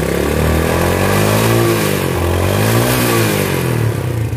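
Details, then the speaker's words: Yamaha Vega ZR single-cylinder motorcycle, long unused, first start before overhaul, worn piston and circlips: loud metallic tak-tak knock about three or four a second over rough running, like two big irons colliding; connecting rod knock. "Coba dengerin teman-temannya Bang Usman ini mesin motornya bunyi tak tak tak tak tak tak tak Yang nyaring seperti dua besi besar bertumbukan itu adalah bunyi stang piston"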